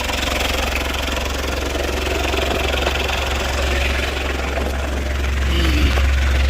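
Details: Citroen Berlingo at steady low idle after a new front down pipe and exhaust were fitted, checked for leaks before it gets hot; even beat, no puffing or ticking, no exhaust gases escaping.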